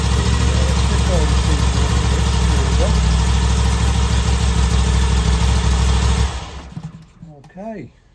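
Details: 2021 V85TT V-twin at steady, even idle with a regular low beat, then shut off. This is the first start in neutral with no dash warning lights, right after fitting a Mistral V-twin fuel boost plug meant to smooth low-speed jerkiness. Runs normally.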